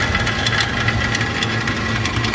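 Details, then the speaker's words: Walk-in cooler compressor on roof found during preventive maintenance, still holding temperature: running hum with loose, irregular knocks like rocks tumbling inside; internal mechanical failure, compressor finished. "That doesn't sound good. There are rocks bouncing around in that compressor."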